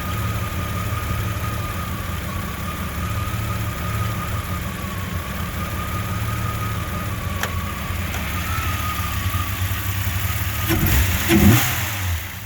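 Low uneven idle with a loping, irregular beat about twice a second and a faint steady whine; the engine idles rough.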